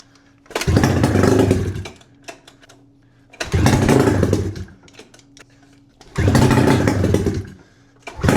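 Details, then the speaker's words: 600cc two-cylinder two-stroke snowmobile engine on a homebuilt sidewinder go-kart, restarted after sitting in a barn with cracked cylinders/heads repaired, running on bad brown fuel; loud raspy revs in three bursts dropping to rough idle, picks up cleanly; little smoke, oil delivery questionable; normal running. "It's not smoking as much as I would like it to show. So, that's questionable. But other than that, it looked pretty solid."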